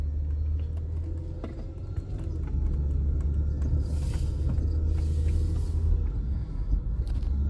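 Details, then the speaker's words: 1996 Nissan Maxima while driving: smooth low engine rumble under road noise, pulling evenly with no knocks, ticks or whine; engine sounds healthy and picks up as it should. "know if you can hear the engine but engine sounds fine picks up and goes as it should"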